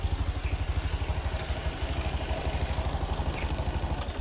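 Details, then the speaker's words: Honda Beat Deluxe scooter after CVT repair for sudden cracking noise from CVT while riding, idle speed also adjusted: low, even putting idle about three beats a second, steady and smooth, no rattle from belt case. "Ya sudah halus suaranya, Guys. Ini tadi sekalian kita riset sama stel langsamnya."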